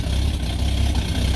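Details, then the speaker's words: Ex-police Ford XG van after its catalytic converter was replaced with an AU Ford unit. On start it gives a rough, loud idle with a harsh hiss, sounds almost like no exhaust, and smokes a lot. Owner wonders if a gasket is burning. "Don't know why it's noisy. I'm sure I tightened that down pretty good."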